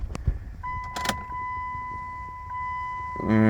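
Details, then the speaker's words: 2000 Chrysler Sebring after installing a new fuel pump in the dropped tank. With key on, a steady high hum runs about 2.5 seconds then cuts off; the new pump primes normally. "Oh, our sending unit's working. Yeah, we're getting some fuel there. Prime it a few times here. I hear it back there."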